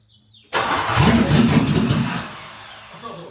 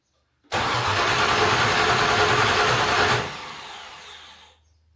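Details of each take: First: Discovery 2 with LS V8 swap, first start on conventional oil with zinc additive after restoring fuel pressure to almost 50 psi: brief crank, then catches with a loud roar and settles to a steady, even idle; starts fine. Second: Land Rover Discovery 2 LS-swapped engine on first start after the swap, low fuel light on: starter spins the engine evenly at about three and a half beats a second but it never catches, then winds down; crank, no start, suspected out of fuel.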